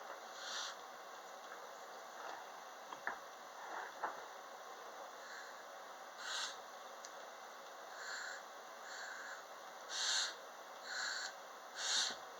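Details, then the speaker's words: 1948 Ford vacuum wiper motor worked back and forth by hand after fluid was squirted in, not disassembled. Irregular soft hissing puffs of air with even drag; air moves easily and the unit sounds good, normal operation. "And I don't think I'm going to have to because it's making good noise. You can hear the drag and the air movement."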